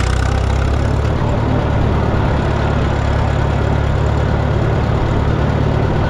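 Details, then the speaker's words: Minneapolis Moline GTB tractor: heavy, loping low thump running unevenly, then the engine stalls; owner suspects a fuel issue. "Oh, there she go. Yep. Got a fuel issue."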